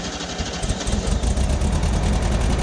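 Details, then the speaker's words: Vintage VW Super Beetle first start with original distributor, cleaned points, original coil and new condenser; engine catches and settles to a firm even low rumble with no stumble; the bad condenser was the cause, ignition switch still faulty. "So that was it. Condenser. Condenser was bad."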